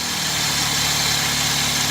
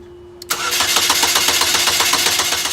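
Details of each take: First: Chevy HHR with crank-no-start fault, after swapping the powertrain relay for a good one: engine catches and idles steady and even with no misses or stumbles; normal idle, original relay suspected bad. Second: Chevy HHR crank-no-start: starter cranks steadily at about four beats a second for two seconds and never catches. No spark at any cylinder from a failed powertrain relay.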